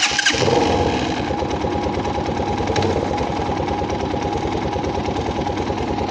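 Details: Italika DM 250 motorcycle, about 15 days old, valves already adjusted: steady single-cylinder idle with fast uneven light ticking; cause unknown, owner worried.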